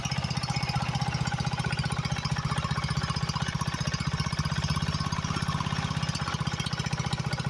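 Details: Briggs & Stratton 20 hp Intek engine freshly swapped into a Husqvarna YHT20K46 riding mower, first start with hood closed: even, regular low thumping at about four beats a second, no misses or clatter; normal running.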